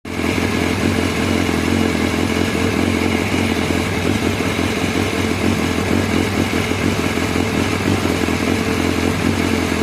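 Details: BMW S1000R motorcycle rough idle: the engine idles with an uneven, lumpy beat and a clattery edge instead of a smooth hum.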